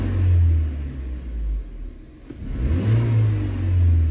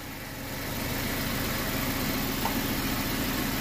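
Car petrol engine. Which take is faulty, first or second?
second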